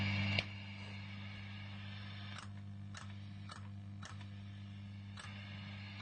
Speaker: So the issue I have is then I'm switching master volumes from 1 to 2.